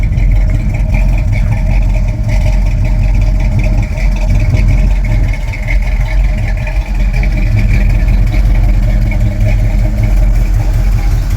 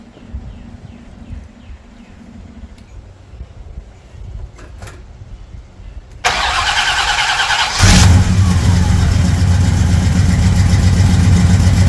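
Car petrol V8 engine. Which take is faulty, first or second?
first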